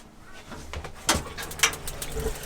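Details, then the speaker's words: 1956 Airstream Safari's on-demand propane water heater: a few sharp, uneven clicks over running water as the igniter lights the burner when the tap is opened; normal. "Put your hand under it, and you can actually hear the thing click, click, clicking."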